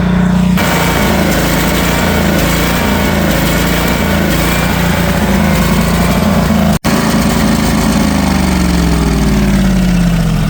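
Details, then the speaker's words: Northstar 10,000 PPG 10kW auction generator of unknown condition, running on old bad gas. Loud drone whose pitch sags then climbs back: the engine hunts instead of holding steady speed, not holding voltage yet; owner suspects a dirty carb. "Um it's not holding voltage yet. I'm thinking it's because we're not idling and revving properly cuz of dirty carb, dirty g"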